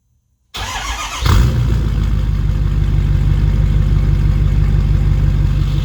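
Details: 2011 Ford 6.7 Powerstroke diesel with 5-inch exhaust, first start after 6 months winter storage: brief crank, catches with deep thump, settles into steady even low idle; healthy.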